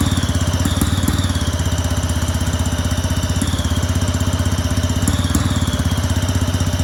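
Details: Two-stroke go-kart engine on premix, open exhaust: even, crackly idle holding a steady rhythm without stumbling; runs and idles properly, though owner suspects the carb causes very hard restarting.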